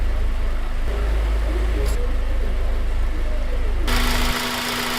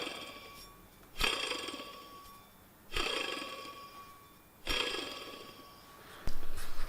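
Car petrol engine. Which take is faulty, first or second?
second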